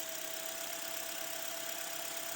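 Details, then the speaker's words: Toyota Voxy 2.0 3ZR engine, after replacing a noisy alternator (faulty pulley) and the auxiliary belt, microphone held at the engine: steady, even hum with faint constant tone, no knocks, rattles or squeal; normal idle. "e agora vou mostrar para vocês ela sem aquele barulho"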